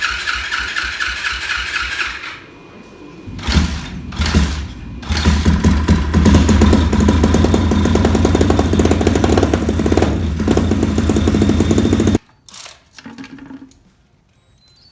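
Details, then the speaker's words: Orion RXB 150 pit bike after oil change, carburetor refitted without gasket on O-ring, fuel leaking, hard starting; owner blames poor coil: uneven chugging, stumbling, surging with dropouts, then dies; running rough. "Okay, so I changed the oil. This thing's still running like crap."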